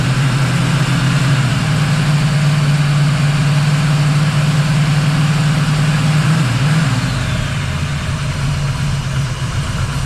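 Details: 1979 Camaro Z28 V8 after replacing the noisy Pete Jackson gear drive with an Edelbrock double-roller timing chain, new balancer and water pump: deep, steady, quiet idle with no gear rattle, running rich (AFR about 12.7).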